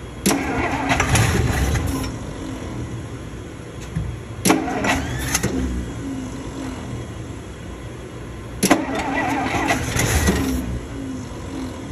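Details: 1961 Dodge Power Wagon, tired Poly 318 V8 fed from a gas bottle into the carburetor bowl: several crank-and-catch bursts, each firing up and revving before settling; runs on all 8 cylinders.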